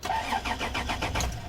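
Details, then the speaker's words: Vehicle with suspected lazy battery, cranked before jumping with a lithium jump pack; sluggish, even cranking about five or six beats a second, slightly labored, like a tired battery dragging the starter; cause suspected, not confirmed. "I think it's got a bit of a lazy battery so let's listen to this one and we'll jump it on to this end"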